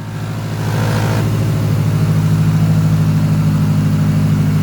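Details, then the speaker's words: Big-turbo MazdaSpeed3, first start since October, in a garage without coolant, cranks and starts first time: steady idle with a busy metallic rattle and a puffing note, source unknown; owner suspects an exhaust leak. "i don't know what that rattling sound is it sounds kind of rattley"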